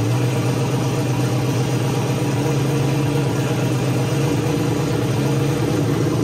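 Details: Ford Mustang with single-turbo LS-based L33 V8, first start-up after turning off the ignition timing offset: steady, fairly even low idle rumble with firm deep pulse, no knocks; known vacuum leaks remain.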